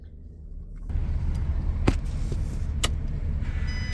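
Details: MAN truck diesel after fixing a no-crank fault: after a quiet moment it catches at once and runs as a steady, even rumble; clean start.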